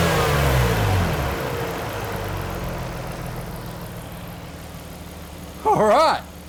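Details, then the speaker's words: 1998 Nissan Skyline R34 GT-R, automatic, warm, after cleaning the idle air control valve and replacing and calibrating the throttle position sensor to 0.51 V: catches, flares briefly, then settles to a smooth, steady 750–800 rpm idle with no hunting; normal idle. "I got that is sitting at about 800 750 to 800 RPM at the moment so uh I'm stok with that that's awesome"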